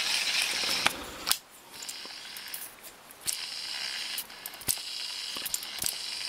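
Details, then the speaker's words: Daiwa Millionaire 7HT ST baitcasting reel after rebuild with ManFish stainless steel main gear and custom pinion support: light ratchet clicks about two a second over a quiet, even wind, no grinding. Smooth reel wind. "There is, oh look, that's just so much nicer and smoother. That really is nice and smooth now."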